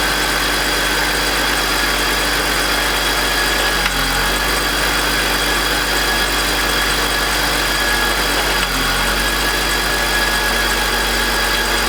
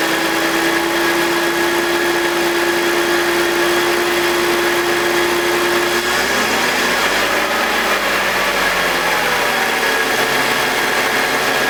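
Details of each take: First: BMW E46 M52TU B25 at idle, VANOS connected: rough idle with gritty metallic grind and small rpm dips every few seconds, louder at startup; noise disappears with VANOS disconnected, VANOS suspected. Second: BMW E46 with M52TUB25 engine at idle, exhaust VANOS disconnected: settled even hum with steady whine, no grinding or rasp, no RPM drop. Owner suspects the VANOS causes a grinding noise, worse at startup, heard when connected. Normal idle.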